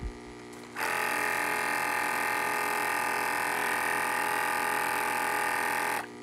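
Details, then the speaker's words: Aquatop battery backup aquarium air pump with an AC power-failure sensor, on two D batteries, no air line attached: it starts as soon as it is unplugged from the wall and holds a steady, even buzz for about five seconds, running normally. "I don't have the air line for that right now so you see unplug it and it should start right up"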